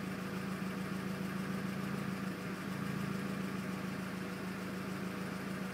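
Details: 2001 Mazda Miata LS at standstill: sporadic, lumpy idle with speed dip, sometimes stalls, about 20% of the time; cause was failed MAF sensor plus small vacuum leak at drilled IAT hole in intake pipe, fixed by replacing MAF and sealing.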